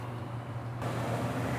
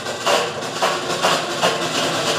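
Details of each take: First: Consul washing machine on the spin cycle after the noise repair: a steady low hum settles into an even drum spin with no knocking, rattling or scraping, confirming the noise is fixed. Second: Consul top-load washer during the spin cycle: harsh, loud grinding roar with repeated scraping surges as the motor engages; a serious fault in the worn clutch/brake mechanism.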